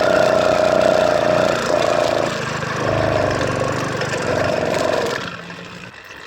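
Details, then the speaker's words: Motorized bicycle two-stroke, first start in over a year after a crash and muddy-water hydrolock, on old stale fuel: buzzy revs sag raggedly and die after about five seconds; won't hold idle, throttle cable and air adjustments tried. "does not [ __ ] idle with enough [ __ ] [ __ ] with the throttle cable and Airport justments"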